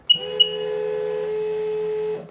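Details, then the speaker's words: Nasty RXDI engine, new fuel rail fitted after the injector and regulator were found packed with rust. Electric pump whirs about two seconds, pitch dropping slightly, then cuts off: primed to pressure. "That sounds like it's up to pressure."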